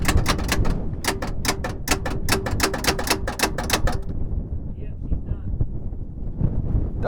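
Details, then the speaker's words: Mercedes S63 AMG, seized engine: rapid sharp starter clicks about four a second for three seconds with no cranking rhythm, belts trying to turn; starter clicking on frozen engine. "i was hoping there was life left in her i was too because if she would have just cranked and you can hear it's cranking strong it's strong it's like or not crank it strong but it's clicking yeah as well this thing's even trying to move i mean the belts are trying to turn it yeah it's going like that the engine's frozen"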